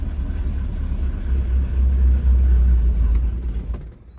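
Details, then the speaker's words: 1966 Ford Mustang convertible with carburetor, cold start after only one accelerator pump: it catches, rumbles unevenly for a few seconds and dies. Two pumps later fired it right up with the choke working. Engine stalls after cold start. "So one pump didn't do it. Came in, hit it with 2 pumps, fired right up, running like a champ."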